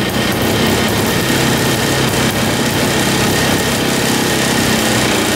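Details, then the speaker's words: 1960s Ski Daddler snowmobile (about 1968), two-stroke, after priming fuel line: high ragged buzz, no clean idle; won't stay running; owner suspects carb diaphragm bad or stiff needing gas, or tank fuel line too short. "yeah she's she's not staying running some guessing the diaphragm and the carb is either bad or just needs to be lubricated with some gas to get to uh to where it's flexible so I can pump"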